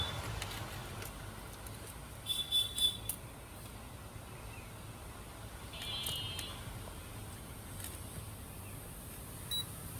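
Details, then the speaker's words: Multimeter continuity (buzzer) mode on a dead router's 3.3 V output line after lifting the IC: short high-pitched beeps over hiss show the line shorted; buck IC, capacitor or coil suspected damaged by lightning or overvoltage. "যে beep sound শুনতে পাচ্ছেন, আপনারা এই capacitor এবং এই আইসিটা তুলে ফেলবেন।"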